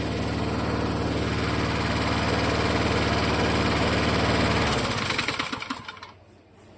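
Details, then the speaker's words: Vintage Toro mower: runs with a rhythmic knock that is heard at startup and becomes more distinct as it coasts down after shutoff; knock from a loose blade bolt on the crankshaft. "can hear it when it slows down, too. You can hear the knock knock knock knock."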